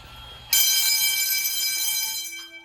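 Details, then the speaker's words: School fire alarm test, Edwards 6500 and IO64 systems: a loud ringing bell tone starts abruptly, holds about two seconds, then fades; the alarm bell works. "Yeah, I can hear the bell. You getting loud?"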